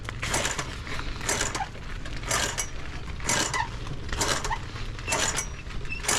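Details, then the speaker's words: Mini chopper 4-speed project bike running after new carburetor and throttle install: rhythmic scraping swish about once a second tracking wheel rotation over running engine; owner says it's the brakes dragging, needs fixing. "that sounds like the brakes yeah it is oh"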